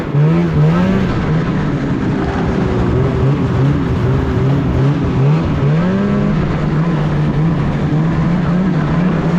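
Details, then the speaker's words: 2016 Polaris Indy 600 SP two-stroke snowmobile, poor-snow test ride before fuel filter fix: pitch surges and sags, bogging and dying out at half throttle, only about 6200-6400 rpm; fuel starvation from clogged filter. "even just a test right over here yeah half throttle this thing is bogg and dying out"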